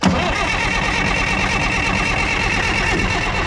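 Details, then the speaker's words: Front end loader diesel, unused about 15 years, with little nasty-looking diesel in the tank: fires and clatters briefly at a rough, strained, uneven idle; not enough good fuel reaches the engine to keep it running, and a clogged fuel filter is suspected. "but we're just not getting good enough fuel to the motor to keep it running so we're gonna have to come back on this one with another plan"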